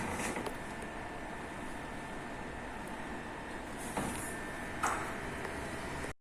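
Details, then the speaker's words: Desktop PC with a working replacement SMPS (power supply) after the original was found dead: started by shorting the power-on pins directly on the board, and the fan runs with a soft, steady whir and faint hum while the display comes up. Normal running. "இப்போ நான் start பண்ணுறேன் கீழே. இப்போ பாருங்கள் fan ஓடுது, பாருங்கள் display வருது."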